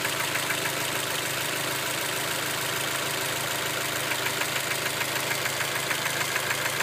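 Steady idle with a quick, fairly even tapping riding on top, about three per second; a knock of unknown origin.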